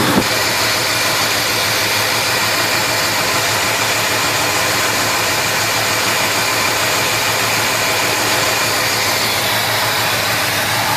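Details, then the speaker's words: 1971 Chevelle 350 V8 idling rough with persistent misfire: number one cylinder dead, plug wet, zero compression with valves held open, despite parts replaced. "so we've changed everything and the number one cylinder the spark plug the spark plug was still wet and all the others were not all the others are firing nicely"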